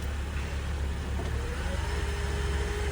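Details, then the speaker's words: 2012 Honda Accord at a towing auction with key, reported as a no-start but started right up without a jump: smooth, even hum with no knocks or ticks, rising cleanly with a light rev; runs quiet and healthy. "And let's take a look at it. Really sounded nice on this one."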